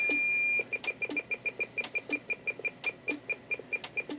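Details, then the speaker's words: President McKinley 40-channel AM/SSB CB radio transmitting while the antenna is deliberately mismatched with a tuner to SWR 3.8: steady high-pitched tone breaks into rapid beeping; solid steady tone at SWR 1.0. "So you can see we've got a SWR of, you know, 3.8. As I go back, the tone will get the beeping will get faster."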